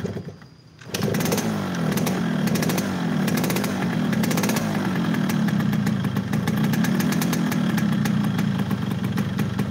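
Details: Yamaha RX King two-stroke (hard to shift gears), not ridden: fast somewhat ragged buzz, flat and choked rather than crisp; engine down on power by sound, cause not yet found.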